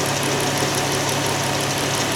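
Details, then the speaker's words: 2021 Dodge Challenger loaner (Chrysler minivan-derived engine; owner notes these engines reputedly crack heads) at idle, hood open: steady idle with fast, light ticking knock over the engine note; engine knocking, cause unclear. "got some knocking going on the only good thing that I can say about this thing is that at least the uh at least there's some working room"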